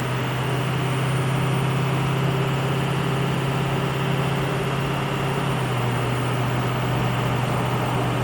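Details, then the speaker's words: Ford F250 6.0 Powerstroke driving in two-wheel drive, with front axle stub u-joints found destroyed. A steady low droning hum under road noise drops in pitch as the truck slows: driveline vibration from worn u-joints. "not sure if you guys can hear that or not vibrations but not good vibrations I think we're getting close to finding the problem right there"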